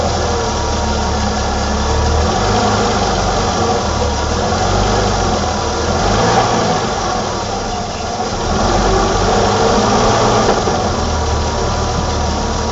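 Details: 1987 BMW E28 520i, M20 2.0-litre inline-six (129 PS), nearly 400,000 km, now running excellently; recorded on a phone with good low-frequency microphone; even, steady idle with smooth low rumble, no knocks or misses; normal idle.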